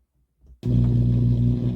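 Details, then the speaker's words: Akai AP-207 turntable after service, during playback test with audio cables connected: instead of music, a loud steady low roar with a strong droning hum; sound reaching the stylus but something in the signal path is faulty. "there is sound coming to the stylus so you can hear there we're getting this God awful sound"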